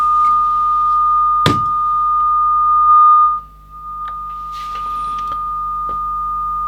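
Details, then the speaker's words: Kenwood TS950S transceiver under fault hunting, with cold spray applied to a module while the calibrator signal is received: steady high-pitched tone holds through a thunk and a short dip, then carries on; reception stays normal and the fault is not reproduced. "I first apply some cold cold spray or ice spray and apply it to the tox module the calibrator you can hear it is received"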